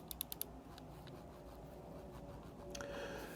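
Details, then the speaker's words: Glorious Model O Wireless mouse after lubricating the scroll wheel: a few quick light scroll clicks then quiet, no squeak; fix worked. "So when I go back to the mouse wheel now, you hear there's nothing. There's no squeak."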